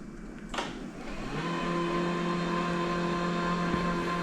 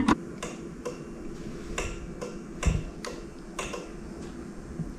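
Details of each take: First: Worn steampunk utility powerchair with deeply discharged 2014-era MK batteries under recovery: a click, then the seat lift actuator runs smoothly with a steady, even motor hum, and current rises while it runs. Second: Old powerchair with deeply discharged MK batteries (about 2.6 V) connected to Victron 24 V charger: sharp uneven relay clicks about every half second, cycling on and off; suspected charger seeing a short, charger shut off.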